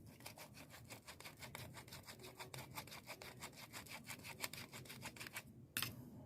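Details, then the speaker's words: 2011 Jeep Wrangler (NSG370 transmission), clutch replacement: old clutch throwout bearing spun by hand gives rough, gritty rasping with fast regular pulses, showing it is worn; the new one is silent. "This is how you know your bearings are going out in your little throwout bearing. Listen to this."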